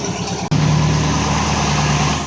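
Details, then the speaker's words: MG Magnette ZB V8 coupe, cold, just started, automatic mechanical chokes holding fast idle for about three minutes: steady raised idle with even low rumble and no misses. Cold fast idle. "now we've gotta let it idle like this for about three minutes on fast-idle remember it's automatic"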